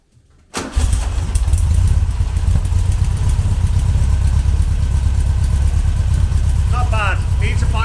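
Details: Classic car with reworked Weber IDF carburettors, air filters refitted, not yet warmed up: engine catches and settles into a fairly steady, even idle with a deep burble; running well, just needs a final tune after a drive.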